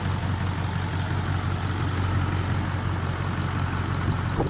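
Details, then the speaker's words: Rebuilt VD-FTV diesel after full overhaul for a knocking noise, fully warmed up and running through its adaptation procedure: steady, even idle with a smooth low rumble and no knock or tapping; normal healthy idle. "Автомобиль собран, полностью прогрет. Проходит процедуру прописки"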